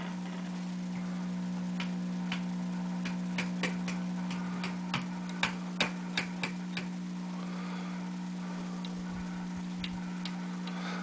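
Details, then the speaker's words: GE 17T11 tube black-and-white TV powered up slowly through a bulb limiter at about 90 volts: 60 Hz hum growing louder with scattered clicks and no horizontal line whine, and no picture; owner suspects no high voltage is being generated. "I don't hear the horizontal frequency so we're going to put the 40-watt bulb in which is now taking us up to about 90 volts and the 60 Hertz is getting louder"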